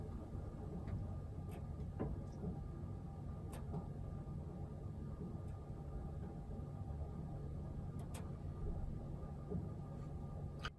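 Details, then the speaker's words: Irregular sharp taps and knocks over a low hum from a roughly 40-year-old Weil McLean boiler, heard upstairs through the heating pipes: suspected kettling from lime and scale buildup, to be cleaned and flushed. "If you listen closely, you can hear some of the knocking, and this really echoes through the pipes and in the house."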